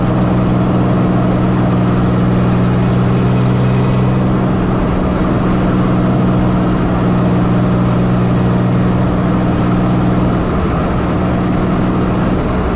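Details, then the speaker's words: 1984 Pontiac Fiero wide body with 3800 V6 swap, driving after replacing reused header gaskets: steady low even cabin drone with no ticking or puffing; former exhaust leak fixed. "before you'd be able to be able to hear a whole bunch of exhaust leak in here now it's quiet yeah it's pretty quick"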